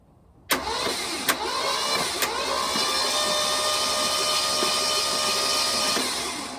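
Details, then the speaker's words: VW Bus engine just rebuilt after highway power loss, cranked by starter with spark plugs out before first test fire: fast, even whir with no labouring; turns over freely. "right it spins I'm gonna put the spark plugs in it and uh see what it does"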